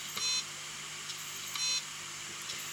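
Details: Seagate Barracuda LP drive, about four to five years old, beeps on boot: two short high-pitched beeps about 1.4 s apart with faint ticks as heads sweep and fail; donor parts swapped, still failed.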